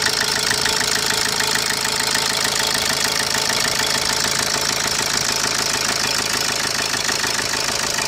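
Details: 2010 Opel Corsa D 1.3 CDTI diesel idling: sharp, fairly even knock around 200 a minute over the diesel clatter; abnormal engine knocking, cause unknown.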